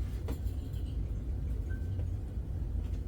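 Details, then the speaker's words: Restored antique fluorescent fixture, keeping its original magnetic ballast, lighting a near-new Mazda Westinghouse F15T12 blue tube. A steady low mains hum with faint ticks: the ballast buzzes gently on startup, which is normal. "now you can maybe hear that that fixture you know buzzing a little bit on the startup and that's because when it comes to these fixtures and when I restored these I wanted to keep all original components in it as possible"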